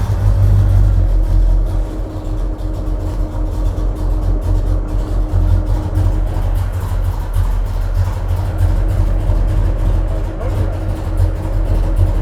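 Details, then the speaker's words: '73–'77 GM A-body V8 with an HEI distributor that was found very loose and is hitting the firewall. Deep, lumpy idle with a dull, lazy note: timing is behind top dead center, still being adjusted. "you're behind top dead center on the timing I can see it"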